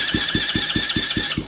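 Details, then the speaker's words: Kids ATV just fitted with a new starter, cranked on a charged 12-volt battery: crisp, evenly spaced cranking beats about five a second, strong and steady, much better than the old starter's odd sound. "way better sounds way better"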